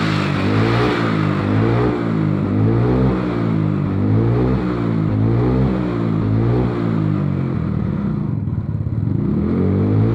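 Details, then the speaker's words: Carbureted Mio Soul/Sporty/Beat or Vario scooter after repair: worn vacuum (skep) jet needle had dropped, making throttle heavy and power weak and starting hard; needle raised, revving now clean, smooth, crisp and normal. "Udah mulai aus, dia jadi ke bawah, gasnya jadi berat nih. Sekarang udah beres ya, udah normal, udah pokoknya bagus."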